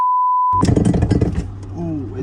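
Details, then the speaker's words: Damaged Toyota Supra being rebuilt: short tone, then heavy irregular clunking and banging over a low engine drone as it tries to move; the driveshaft had popped out, leaving the car unmovable. Driveshaft disconnected. "Ooh, yeah, if you don't know what that sound is, that's the drive shaft that popped out and the car was unmovable."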